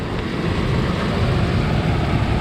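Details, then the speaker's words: Truck at a pre-auction inspection that seems to have sat a while, still with its emissions equipment and a possible valve cover gasket leak. The engine runs even and smooth with a steady low rumble and no knocks. "let's see does she sound like a box of rocks oh it's not too bad"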